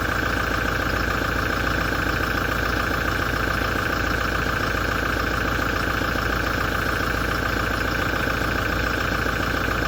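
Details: 2017 Toyota diesel idling after a major service, a steady knock about three and a half per second over a harsh metallic grinding buzz; knocking with metallic vibration, cause unknown.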